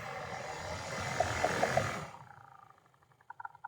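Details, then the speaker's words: 2015 Ford Fusion blower motor, removed from the housing and running: a whirring fan with quick, uneven clicking and tapping about three times a second. Bad blower motor; something is suspected to have been wedged in it. "It's clicking and tapping, so we definitely have a bad fan."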